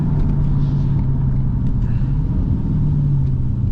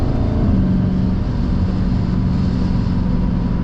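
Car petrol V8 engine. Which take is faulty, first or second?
second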